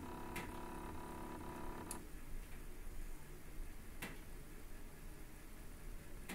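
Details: PrintrBot Simple Metal 3D printer a day after configuration; quiet motor hum stops, then sharp isolated ticks roughly every two seconds; abnormal click, cause unknown.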